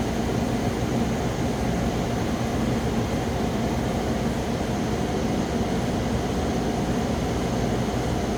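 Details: 8000 BTU Frigidaire window air conditioner, 2016, after a deep clean of clogged fins, compressor running: constant airy rush over a low, steady hum with no rattles or squeals; compressor and fan running normally.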